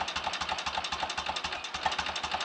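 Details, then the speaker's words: 1930 Royal Enfield Model K 1000cc V-twin motorcycle on a fast idle after kickstart, lights on and charging working: slow loping beat, about four unevenly spaced thumps a second, steady and regular; normal idle. "oh that's all working nicely what a beautiful old engine listen to that"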